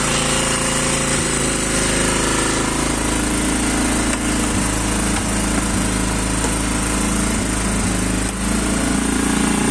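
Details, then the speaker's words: Quad single-cylinder engine just started cold: loud fast chatter held at raised revs, uneven beat with occasional stumbles; idle too high and running rough, cause unknown to owner. "Parce que là, il tourne mal. Je sais pas pourquoi. Il est haut dans les régimes comme ça."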